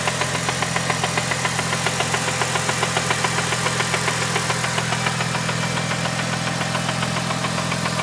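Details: Newly bought Mitsubishi Evo 8 at idle: a steady, evenly spaced knock about 3.5 per second over a smooth idle. The seller attributes it to the clutch release bearing; the cause is unconfirmed.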